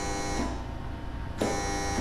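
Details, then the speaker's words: 2019 Yamaha Raptor 700 Special Edition with built top end, on the dyno while tuning a new Vortex ECU: steady fixed-pitch electric buzz with no spin-up; the ECU calls for the radiator fan but the bent fan is locked up. "what's that sound the Fan's locked up or something really it was bent pretty good"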